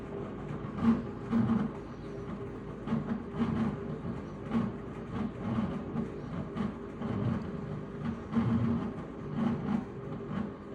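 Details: Washing machine during a wash cycle: rhythmic rumbling surges about every second, like a passing train, as the drum turns. Source not identified.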